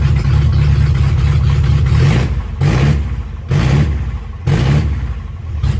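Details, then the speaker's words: Chevy LUV 4x4 truck revival, carbureted engine first fired dead cold with no choke after carb work: idles rough, surging and sagging about once a second but holds idle. "so it's going to idle pretty rough till we get some temp under without a choke but impressively enough it actually can hold an idle dead cold"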